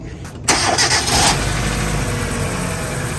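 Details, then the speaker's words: 2006–2011 Hyundai Accent 1.6 four-cylinder, right after camshaft position sensor replacement to cure hard starts: short crank, catches at once and settles into a smooth, even idle. It starts normally, no more hard starts. "start it right up, no more hard starts."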